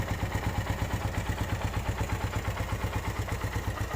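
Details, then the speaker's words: 2013 Suzuki Satria FU 150, used motorbike with seven years of use, at idle: steady single-cylinder idle with light even tick about three per second, said to be typical for Satria FU, not noisy; normal idle. "suaranya nggak berisik kalau Satria sih wajar aja jika ada suara-suara tek tek tek tek seperti itu itu emang penyakitnya Satria FU rata-rata seperti begitu"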